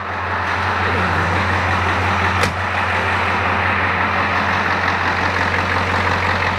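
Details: 1984 Ford F250 diesel idling after glow-plug start, with vacuum pump fixed after brake booster lost vacuum: steady even rumble, no ticking, squeal or hunting; vacuum now 26-27 versus 12 before; normal idle.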